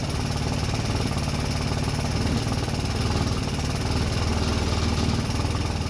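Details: Rebuilt 150cc GY6 engine in RZR170-clone UTV, cold start, nothing fully hooked up: single-cylinder thump with uneven wandering beat, smoking stopped; idle rough and needs adjusting.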